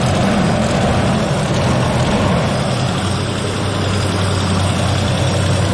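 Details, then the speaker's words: Engine restarted after refitting loose spark plug wires and EGR work; steady idle with light, uneven rattle over low engine note, owner calls it dirty and plans Seafoam. Rattle at idle, source unconfirmed. "Oh, you hear that rattling? Yeah, that's dirty."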